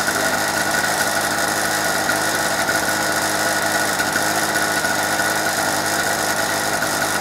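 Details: Normal running: a 2-stroke petrol generator bought in 2005 and unused for 2 years, test-run at about 18°C with a governor controlling speed, gives a steady, even buzz with no misses or surges at constant speed.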